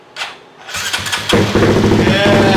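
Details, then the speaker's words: Koso 170cc big bore kit engine (Competition Werkes GP full exhaust, aRacer RCmini ECU) first start after checking fuel lines and spark: brief cranking, then fires into a steady, even, throaty idle; it drew down the oil. "alright guys it started so we're good we're gonna fill up with some more oil it sucked all that dry"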